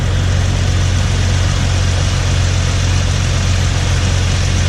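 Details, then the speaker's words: Jeep TJ idling after Walker catalytic converter replacement, heard checking under the hood: steady, even low idle rumble with no ticking or puffing at the manifold; smooth idle, no exhaust leak felt there. "This one feels like it's kind of smooth. Yep, okay, so it feels all right."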